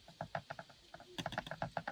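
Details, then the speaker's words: Kia K5 / Optima (JF) dashboard cricket on small bumps: quick dry chirps, about eight a second, from hard dash plastic rubbing the windshield glass mid-dash; fixed by inserting a rubber strip. "это скрип Когда у нас вот этот пластик дубовый со стеклом соприкасается звук"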